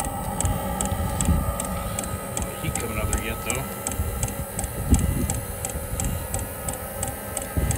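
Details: Espar Hydronic coolant heater on test, igniter jumpered, after firing despite suspected debris inside; steady, even ticking about two to three times a second over a low rumble. The heater has lit and is running normally.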